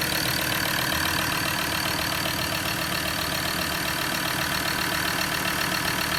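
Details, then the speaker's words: Recently bought diesel Ford Ranger that almost caught fire on its first drive, also with leaking injectors: noisy idle with steady knock and constant airy hiss that the customer also heard, exhaust blowing past a badly blocked, leaking EGR valve. "So, very noisy. Don't know what you can hear, but the customer also mentioned he could hear like a hissing"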